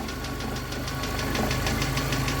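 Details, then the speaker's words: VAZ 2112 warm idle after timing-side inspection, pulleys quiet, hydraulic lifters ticking: idle sags and wavers, nearly stalling, with light tapping beneath; unstable running persists, ignition module still to be checked, cause unconfirmed. "всё равно есть есть такое подтраивает"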